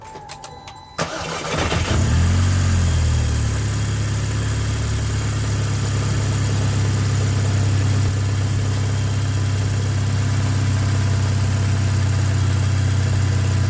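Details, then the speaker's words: Seat Leon after replacing water-damaged spark plugs with NGK BKR7EIX iridium plugs, which had caused misfires, heard from the rear of the car: engine cranks, catches quickly and settles into a smooth, even idle on all cylinders. "as you can hear just kicking away nicely nice and smooth that's what we like to hear"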